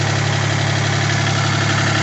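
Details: 1980 Kubota compact diesel tractor, idling after start: steady low diesel chug with an even firing beat and no odd knocks or rattles; engine running fine.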